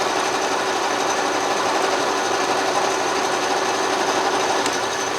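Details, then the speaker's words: 12-inch Atlas Craftsman metal lathe after restoration and reassembly, power cross feed engaged by pulling knob out with carriage locked: steady light whirr with fine even chatter, no knocks or grinding; normal cross feed operation. "turn the LA on pull it out we've engaged the power feed"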